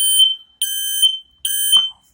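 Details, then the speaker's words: Kidde battery-backup smoke alarm held in test mode by pressing the button: loud, shrill half-second beeps, three in a row with short gaps, the alarm's normal test pattern. It goes into hush mode afterwards. "So basically, hold down the button to get the test mode going for all the alarms, or just the one alarm, however your setup is in the house."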